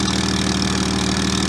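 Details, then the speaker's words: BMW 135i at idle with the tailpipe plugged: a quick, even puffing tick on the exhaust note as gas escapes through a gap at the mid pipe to axle-back joint, where heat can be felt escaping. This joint is the exhaust leak. "Where the mid pipe meets the axle back, there's a gap, and you can feel the heat escaping right there, and that's definitely the source of the leak."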